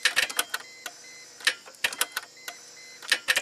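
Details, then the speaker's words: 2004 Chrysler Crossfire off the road over a year after intermittent stalling; starter clicks in quick dry bursts about a second apart but never engages or cranks; amp clamp shows about 80 A draw with battery voltage maintained, bad block ground suspected. "but it's not engaging so let's see if we go to our amp clamp and turn it to 400 amps let's see if the starters actually trying to draw current when we energize it"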